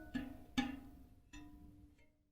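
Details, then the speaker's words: Carbon 50mm rear wheel on a Ribble R872 road bike, broken spoke replaced: several sharp plucks ring at a clear, fairly high steady pitch and decay cleanly, as correctly tensioned spokes should. "so they're all high pitch the new one very low tone so we need to keep tightening that until we get that resonance up a bit higher"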